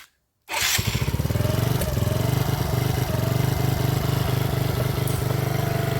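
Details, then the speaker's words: Mini ATV with Mikuni carb, after fixing a poorly adjusted throttle tapered needle and backing out the idle screw; starts right after a brief crank and settles into a steady, even single-cylinder putter at idle, full throttle range; normal idle. "starts on idle I probably still need to adjust it a little bit and it has a full range on the throttle"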